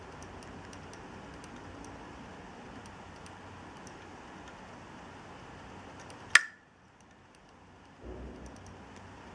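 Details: Hard drive bought from Dealextreme clicking: faint, light ticks repeat at a rough steady pace over a quiet hum, then one sharp click.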